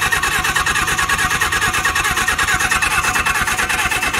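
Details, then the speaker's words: Suzuki GS750 motorcycle unrun for 41 years, ignition points cleaned; starter churns evenly at wide-open and low throttle with no firing. Absolutely no spark despite battery power reaching the ignition, so something else is suspected. "no spot okay I'm getting absolutely no spark Che power down here okay yep all right so power down here battery power yeah okay I think there's something else going on here guys"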